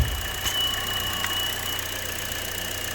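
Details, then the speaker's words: 2015 Buick Encore 1.4L LUV, 104,246 miles, P0171 lean bank one: thin steady high whistle over a smooth idle at the valve cover; a failed PCV check valve draws unmetered air, and pulling it changes the sound and short-term trims. "i don't know if you guys can hear that whistling plug that off and we're getting immediate corrections on our short term it's that whistling you're hearing there's a change when i pull the valve"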